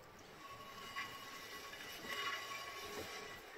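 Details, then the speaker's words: 1994 Dodge Ram Cummins rear drum brake, wheel spun by hand after star-wheel adjuster run out almost two turns; faint scraping hiss with brief squeaks as shoes just touch the drum, light acceptable brake shoe rub. "yeah you can hear it rub but it's not bad"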